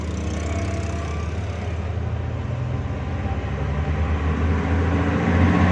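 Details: Suzuki Bolan on CNG with a starting problem: steady low idle with an even beat that firms up slightly toward the end; runs, but nothing points to a clear fault.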